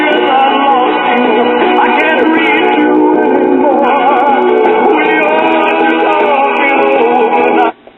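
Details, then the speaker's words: 1950s PAL one-tube record player after modification, with cartridge on a shorter bracket and about 140 V on the plate: clean, steady music with no hum, crackle or distortion. Playing properly. "But yeah, this sounds really nice. This will give a Crosley Cruiser a run for its money."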